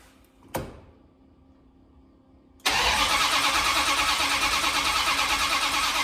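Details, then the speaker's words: 1972 Dodge D100 with a new solid roller cam and Speedmaster heads, sparking at the plugs: a brief click, a pause, then steady cranking at about three beats a second that never catches; the distributor is found off at number one, to be re-clocked. "Can't be that bad off the timing. Sparking out the plugs. Just before top dead center. My number one is right here. Oh, Shazam. Yeah, it's a little off here, bud."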